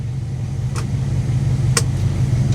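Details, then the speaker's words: 1959 Dodge Coronet V8, survivor car idling after a drive: steady, deep, even rumble with no knocks or misses; idles smoothly and sounds healthy. "listen to this oh man she just sounds so good she does it's a beautiful car"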